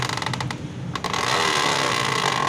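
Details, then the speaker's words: 70 motorcycle with the rear wheel turning: quick plastic ticking and a steady scraping rattle as the plastic chain cover hits the sprocket, because its mounting holes don't line up; fixed by slightly altering the cover's fitting. "देखिए दोस्तों, ये चैन cover जो है ये चैन cover गरारी के साथ टकरा रहा है, जिस वजह से ये आवाज़ कर रहा है।"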